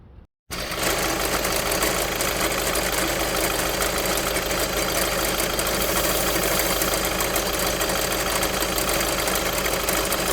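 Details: VW 1.6 TDI (Touran/Golf/Polo) diesel at idle: fast, uneven chatter and light whirring over the diesel clatter from the accessory belt tensioner pulley.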